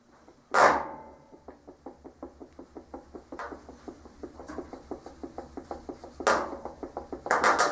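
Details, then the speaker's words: 2001 KTM 250 EXC two-stroke stripped to the frame with the engine out; the hand-turned rear hub gives a dry gritty clicking, three to four ticks a second with louder knocks; worn rear wheel bearings. "remember i was telling you about the wheelbarrows in the back listen you can really hear them good now that i've got it right here"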